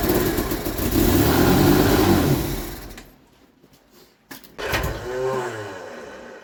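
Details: Vauxhall Viva HC after carburetor rebuilds, water-contaminated fuel flushed, filter changed and fresh fuel supplied: the engine revs hard, drops briefly, then fires again and settles into a steady idle. Normal start and idle.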